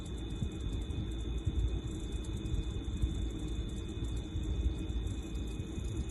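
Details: LG refrigerator LFXC22526S, about two months old: low, steady compressor buzzing hum throughout while running; technician replaced the compressor, fixing it.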